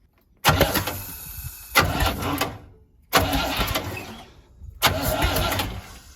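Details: 1972 Winnebago Brave with a 350 Chevy V8 after a major failure. Four short, uneven bursts of cranking with some compression but no catch. Bent and broken pushrods keep valves from opening, leaving fuel pooled in the intake.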